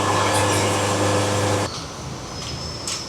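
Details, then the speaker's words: Bandsaw sawmill, feed raised to a moderate, typical rate with joystick bottomed out at set speed: steady even saw hum and clean low drone, then drops away; normal cut, band harmonics and ripple gone, sawdust more evenly packed. "That's a little faster. That's probably what most people are going to saw at. You can almost hear the tone."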